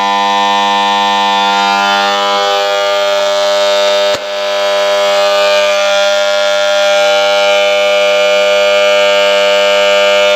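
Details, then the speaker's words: 3-phase borewell motor starter panel: loud, steady mains buzz with a hard metallic edge that never settles; a lizard lodged at the contactor's magnet coil stops the armature seating. "ಕೇಳಿದ್ರಲ್ಲ friends ಯಾವ ರೀತಿ sound ಬರ್ತಾ ಇದೆ ಅಂದ್ಬಿಟ್ಟು ಸಿಕ್ಕಾಪಟ್ಟೆ sound ಬರ್ತಾ ಇದೆ ಏನ್ ಟ್ರಬಲ್ ಆಗಿದೆ ಅಂದ್ಬಿಟ್ಟು ಮೊದಲನೇ ಬಿಸಿ ಎಚ್ ಕಾಂಟ್ಯಾಕ್ಟ್ ಸೆಟ್ ಅಲ್ಲಿ ಹೋಗಿ ಮ್ಯಾಗ್ನೆಟ್ ಕಾಯಿಲ್ ಹತ್ರ ಏನಾದರೂ ಕುಂತ್ಕೊಂಡಿರುತ್ತೆ"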